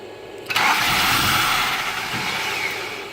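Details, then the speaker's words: 1983 Volvo 244 after an upgrade to LH2.2 injection and EZK ignition with many new parts: long crank with throttle, rough churn and only a faint sputter, no start; distributor moved, both fuel pumps run, fuel pressure unchecked. "Alright, I'm going to crank it with some throttle. Usually it's good for a sputter. That's about all you get out of it."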